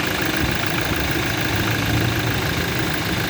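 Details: Toyota Innova idling during mechanical engine diagnosis: steady idle with a fast, even knocking tap that doesn't let up; internal engine knock, source not yet pinned down.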